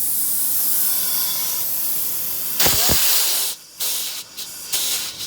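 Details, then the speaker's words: Steady loud hiss as about 50 psi of shop air fed into cylinder 8 (40 psi compression versus 160 psi on cylinder 2) escapes into the cooling jacket; blown head gasket, confirmed when the head was removed. "cylinder number 8 that has 40 pounds of static compression and I hooked it up to my high compressor which only has about 50 pounds in it and when I hook it up listen to this here"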